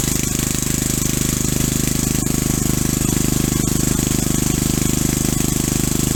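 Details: Single-cylinder engine, lightly honed with new .030 oversize rings, driving a hydrostatic via driveshaft: steady running with a hard, even knock through every firing; piston slap in the loose bore.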